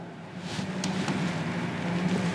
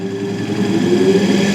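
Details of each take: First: Capacitor-start capacitor-run single-phase AC motor on an ITI trainer kit, fed a low variac voltage of about 6-35 V and drawing 0.31 A: a steady low electrical hum with no run-up. The motor is energised but produces no torque and does not turn. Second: Capacitor-start capacitor-run single-phase AC motor on an ITI trainer kit, variac raised past about 70 V: a steady hum climbs to speed, then one sharp tick as the centrifugal switch opens once speed is reached. A normal, healthy start.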